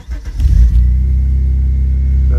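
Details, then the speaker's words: Vectra B GSi after a fuel tank install and fresh petrol, replacing fuel that had sat a year: brief crank, catches and settles into a steady, deep, even idle with no misses, a healthy start. "there she is, running like a dream. And running a lot better now that it's got fresh fuel in it."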